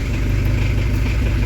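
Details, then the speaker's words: Camper van diesel restarted after turbo replacement, running with open exhaust after glow-plug preheat: deep steady even rumble, no misses or knocks; idles smoothly without stalling, no extra noise. "je je suis vraiment étonné là il pas calé ça fait pas plus de bruit"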